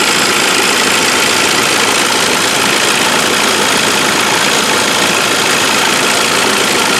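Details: Saab 9-5 warm petrol idle after 3-4 minutes running, busy metallic rattle from the front pulley area growing over time; compressor bearing, water pump, idler pulley and upper timing chain rail already replaced; owner hopes not the timing chain; cause unknown.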